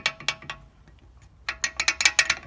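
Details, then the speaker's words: VW Golf Mk1 with upgraded G60 280mm front brakes: loose metallic clatter in quick bursts while driving, about six or seven sharp rattles a second. Owner thought it was the springs, but the discs are tight and the dust guard is quiet; suspected loose brake pads. "so i'm driving i can hear something rattling and i always thought it was the the springs"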